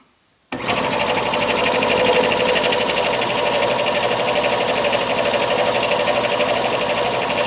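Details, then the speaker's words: Eaton/Ingersoll Rand air compressor retrofitted with a 7.5 hp motor starter, pressure switch adjusted: steady, even pumping about four strokes a second, no knock or squeal; cuts out around 125–130 psi, cuts in at 100. "oh success it cuts out now at around 125 130 it cuts in at 100 all as well it's great"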